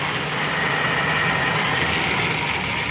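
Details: Long-stored carbureted engine after overhauling a stuck, dirty carburetor, fed petrol from a 1.5-liter bottle: steady, even idle with a fairly bright note, no misses or knocks; running smoothly after first-click start.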